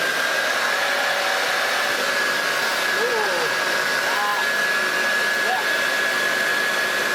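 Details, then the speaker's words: Hoover Junior 1334 upright vacuum after restoration and motor reassembly, home-made rear bearing found as likely cause of earlier bad noise; tested without belt; smooth steady whoosh, constant high motor tone, no knocks or rattles; normal running. "Perfect. doesn't that sound nice, especially compared to how it sounded before?"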